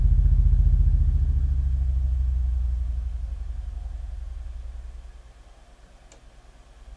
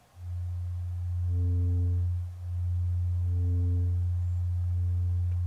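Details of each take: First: Miller & Kreisel V-2B subwoofer amp (STK-086) after repair of constant hum/buzz: all failed-ESR electrolytic capacitors replaced, Deoxit D5 used. Deep, smooth low tone down to under 10 Hz on a 6-inch test speaker, no buzz: playing clean. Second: Miller & Kreisel V-2B subwoofer amp (STK-086) with a constant-hum complaint, before repair, with all electrolytic capacitors failing ESR: a 90 Hz test tone turns rough and buzzy in surges about once a second; it is distorting due to weak supply filtering (small 1000 µF capacitor).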